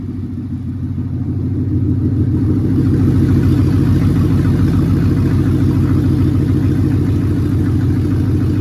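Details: 1967 Mustang Fastback Eleanor GT500 tribute with 5.0 Coyote V8 and T5, first start after wiring and battery box install: catches and builds to a strong, even rumble, revving cleanly with steady firing, no knock or misfire; normal start and rev.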